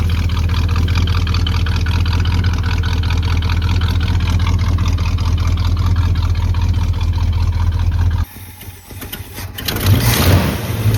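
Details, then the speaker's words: 1985 Chevy C20 V8 that sat over 10 years, first running and slightly warm: low, choppy idle with an uneven stumbling beat, then a clean quick rev. Possible lifter noise and fuel leaks noted; the cause of the rough idle is not yet found. "Sounds good when you rev it up, but it's idling real low and it's real choppy, so we'll have to see what's going on with that."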